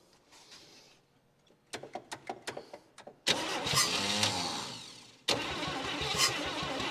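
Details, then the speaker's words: 1959 Chevy Biscayne 6-cylinder, freed after being seized through about 20 years of storage, old starter: slow, labored cranking in about eight strokes, then it catches, roars briefly, sags and fires again. It runs about five seconds; owner says it needs fresh fuel and a good starter. "there we go she ran I mean all of it for five seconds but still turn the points off she did in fact run"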